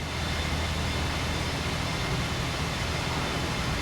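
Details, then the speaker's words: Flood-damaged Kia Ceed GT-Line 1.5 petrol turbo, just started after repair: soft even hum, very quiet, no knocks, ticks or misses, beat holding steady; normal idle. "and she's running it's running really well actually sounds good oh she sounds really quiet"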